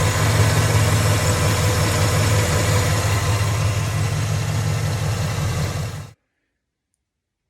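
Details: 1995 Chevrolet Impala SS with LT1 V8 idling with a deep steady rumble and a faint repeating accessory belt chirp; later fixed with a new drive belt tensioner and idler pulleys; serpentine belt chirp at idle.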